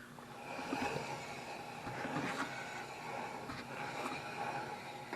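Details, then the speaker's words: 1968 Dodge Coronet: the right front wheel, spun by hand with the camera close, gives only a soft, uneven swish from light brake pad drag on the rotor and no bearing rumble; the bad bearing was on the left side. "Okay, just a little bit of brake noise from the pads that drag along the rotor."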